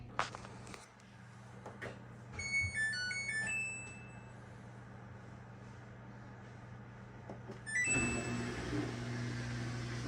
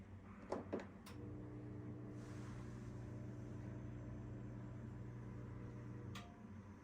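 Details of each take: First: Samsung front-load washer after repairing a no-drain fault; with an empty drum there is no water sound, just a steady low hum, electronic beeps, a door-lock clunk and an even motor whir. Normal running after repair. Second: Samsung front-load washer (WF42H5700A family) started on normal cycle: the drain pump hums steadily for about five seconds, moves no water, then shuts off with a clock shown on the display. The drain pump is failing to drain.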